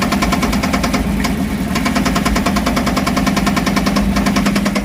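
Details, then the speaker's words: 1979 K5 Blazer first start after sitting, fed from a gas can via mechanical pump, has oil pressure: loud metallic clanging knock about three per second over rough idle; owner thinks external, maybe flywheel, not internal. "What in the world is smacking around? That is not internal, I know that. That sounds like something on the outside clanging."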